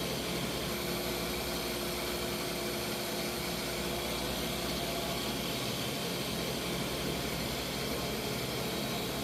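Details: Freeze dryer vacuum pump in final dry with bell peppers, room about 78°F, after fixing the valve that caused error code 8: steady even whir with constant hiss, no surging or knocking; pump healthy, vacuuming now good.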